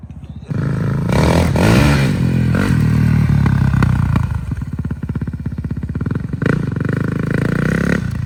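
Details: Cheap 2021 450 dirt bike bought on Facebook Marketplace, warmed up, first test ride, aftermarket smaller sprocket: crisp single thumping cleanly through blips and steady pulls, revs rising and falling evenly, no misses; healthy, runs really good.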